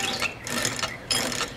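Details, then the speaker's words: Coleman KT196 go-kart with Predator 301 engine, not yet bolted down on adjustable mount: bright metallic chain jingling in short bursts; the whole engine sits cockeyed, misaligning the jackshaft chain. "oh wait a minute I'm hearing that [ __ ] again oh I see what happened let's see am I right yes I am right the whole engine is cockeyed"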